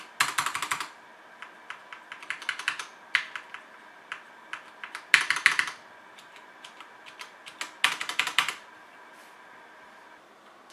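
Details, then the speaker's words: HyperX Alloy FPS Pro mechanical keyboard, Cherry MX Red switches, PBT plastic keycaps, aluminum top plate, typing test: crisp even clacks in quick bursts with short pauses, clean bottom-outs, no rattle or ping; healthy, very nice sound. "so yeah the sound on this mechanical keyboard is very nice"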